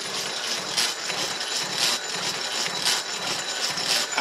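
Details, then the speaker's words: Home-built Jacobs gear hobbing machine cutting its first gear, a worm wheel for itself, with more feed added: hissing cut swelling about once a second as the hob bites, even and steady. Normal hob cutting. "so we'll put a little bit more feed on you can hear the hob starting to cut as we do"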